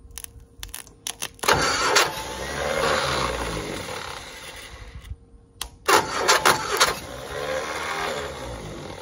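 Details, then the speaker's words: 1960 Onan industrial engine for a homemade Model T replica, first start in many years; fuel pump vacuum shutoff lever propped open. Two bursts of cranking with uneven chuffing, no catch; afterward fuel is seen coming up, possibly starting to fill the float bowl. "we got gas coming up we did get gas coming up that time it might have started filling the carburetor the float Bowl"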